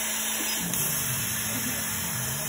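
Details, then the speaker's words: CO2 laser cutter, 100 W tube, cutting plywood at speed 18 and 70% power, after replacing the distilled cooling water, chiller at 16.5 °C; steady airy hiss of fans and air assist, no whistle or squeal: normal laser cutting. "и требовалось доказать все проезжается кипятка нет хорошо"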